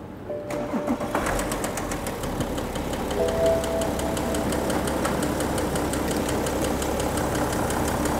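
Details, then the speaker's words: 2011 BMW 5 Series 3.0-litre engine no longer running on all cylinders, sounding terrible. Rapid regular knocking, about four per second, over rough running; mechanic suspects a worn connecting-rod bearing and probably new bearings needed, unconfirmed. "er ist hier hingefahren also das tut weh also wenn du mechaniker so ein geräusch hört das schmerzt sehr wahrscheinlich neue lage"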